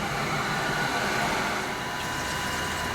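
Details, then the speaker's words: Jandy variable-speed pool filter pump running in normal mode after priming (about 526 W while priming), pool water at 83 degrees; soft steady hiss and hum, no knocking or surging; very quiet, normal running. "the filter pump is running right now, and you can probably hear, or maybe not, how incredibly quiet it is."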